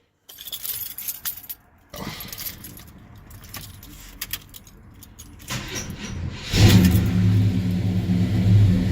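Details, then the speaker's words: 1972 Monte Carlo V8 with old Quadrajet carburetor, warm (not cold) start: keys rattle, brief crank, catches quickly and settles to steady even low idle; normal warm start. "this is not a cold start I will leave a lot to you all they say there's a co-starter does not start that easy on the first try trust me it still has the old Quadrajet carburetor on"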